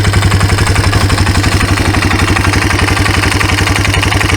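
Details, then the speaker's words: Abandoned 1995 Yamaha Timberwolf 250 ATV, previously run low on oil from a leaking drain O-ring: steady idle with light regular ticking about four per second. Lifter/rocker adjustment or cam wear suspected; the engine also smokes. "it either needs the lifters adjusted or the rockers adjusted, or the cam's got a little wear in it."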